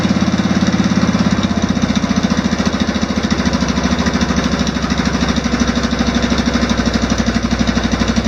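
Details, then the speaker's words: Swapped OHV engine on off-road mower, valve lash just reset to spec from way out, started without choke: even, regular chuffing idle, no ticking or misses, quieter than the old flathead; idling smooth. "so it seems to run really smooth it's actually uh the engine itself is very quiet"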